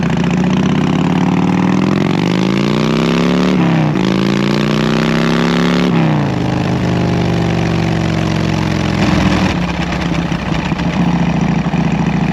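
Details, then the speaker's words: 2014 Harley-Davidson Heritage Classic V-twin after fitting Cobra El Hombre fishtail exhaust, before running the tune: even loping idle with quick throttle blips settling back cleanly; medium loudness like old pipes; engine and exhaust sound fine. "so yeah so there you have it um medium loudness about the same as the as the old pipes that were on it before but under load it's going to sound real good"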